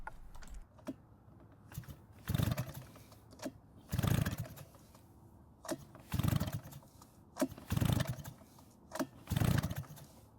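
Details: Shindaiwa backpack blower that won't start, spark confirmed with an inline tester: repeated rope pulls with no catch or firing; a massive intake air leak from a loose intake is stopping it drawing in fuel.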